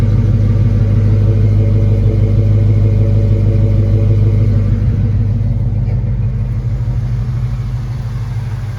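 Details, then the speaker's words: 1968 Ford LTD Brougham 390-2V V8 with Flowmaster exhaust, just after a Motorcraft/Autolite 2100 carburetor rebuild that replaced a corroded accelerator pump and power valve: a deep, steady, even idle with no misses. "So, seems to run really nicely now. No misses. You can hear the idle sounds perfect."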